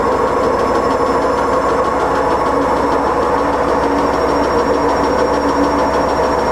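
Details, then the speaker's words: Siemens IQ300 washer dryer on a wool cycle with a pillow, during spin: steady, heavy train-like rumble with no letup; loud rumbling spin, owner suspects drum bearings, not confirmed. "I'm walking near the bearings rumbling"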